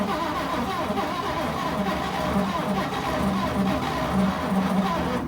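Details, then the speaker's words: 1941 Chevy pickup, 40 years in a junkyard, seized piston freed, weak battery: long cranking with a few weak uneven firings that never catch; carburetor judged too gummed up to pass enough fuel, being rebuilt. "So after a few more tries, we just decided that the carburetor was too gummed up to be l"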